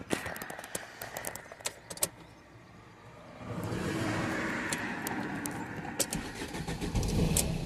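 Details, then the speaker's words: 2005 Fiat 1.3 Multijet diesel with an intermittent no-start from the immobilizer, after the ECU was unlocked and the immobilizer disabled: key clicks, then the diesel catches and settles into a steady, even idle; starts normally. "Ωραία. Πάμε να το βάλουμε μπρος."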